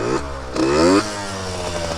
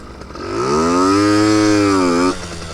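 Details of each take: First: Yamaha RX50 50cc two-stroke, six-speed, cruising about 35 mph, maybe fourth gear, mostly downhill. It revs then sags at the top; owner suspects it's flooding out up top. Rich mixture bogging at high rpm; plans to move the needle clip back to its original position. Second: Yamaha RX50 50cc two-stroke barn find on top speed run climbing hills, after a too-rich mixture: crisp note rising cleanly through revs on two pulls with short lift, no stumbling; more power, clean running.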